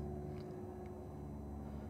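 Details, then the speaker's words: 1994 Ford F150 5.8L V8, front tank fuel pump on jumper during pressure test: quiet, steady hum holding even pitch with no surging or grinding, pressure rising to about 40; front pump good, normal operation. "And there it goes. And it's getting up to about 40. So the front fuel pump is definitely good as well."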